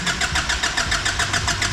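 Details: Nissan Patrol diesel after new injectors, seals and a new fuel filter, before priming: steady rhythmic starter churning, about six turns a second, with no firing; extended cranking that was expected after the filter change.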